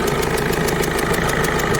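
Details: Peugeot 207 1.5 HDi diesel at idle, air filter removed for access: crisp, regular ticking about six or seven times a second, the characteristic sound of a leaking injector seal; fixed by removing the injector and replacing the seal.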